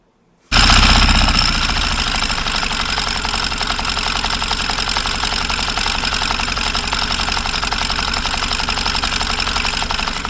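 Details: Yamaha FZS version 4, running after reassembly: harsh gritty rattle over the beat at idle, helicopter-like; crank balancer gear teeth bent from mechanic's careless crank nut work, balancer timing/gear gap off.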